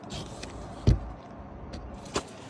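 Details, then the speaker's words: Toyota RAV4 front suspension heard through a clamp-on stethoscope at the anti-roll bar while driving over bumps: two sharp hollow knocks over road rumble, caused by a stone lodged in the wishbone. "Yes, it was a stone all along. These noises can throw you off big time."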